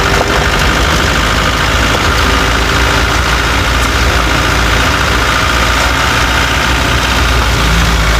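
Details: Chevrolet Tavera diesel at steady idle: loud running with a rough clattering knock throughout; owner reports a khatpat knocking sound that 10 mechanics could not diagnose, source unknown.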